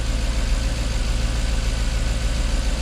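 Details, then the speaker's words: Jaguar XK8 after coil replacement: smooth, even low rumble at a steady idle around 800-850 rpm with good oil pressure and battery charging, no misses or knocks; a slight vibration remains and it may need new plugs; healthy idle. "you can hear that Tony yeah she's running good we've got good oil pressure batteries charging half a tank of gas just over temperatures down of course it would be we're probably ticking over around 800 maybe 850"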